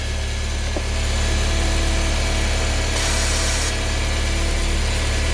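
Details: Car engine warm-idling after the belt and pulleys were sprayed and blown clean, which helps only once warm: steady low hum, no squeal, brief spray hiss midway; normal idle.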